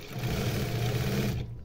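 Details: Newly installed servo motor on a sewing machine, run around 1500–2000 stitches per minute: smooth even hum at steady speed with no knocks or rattles, then stops; runs cleanly.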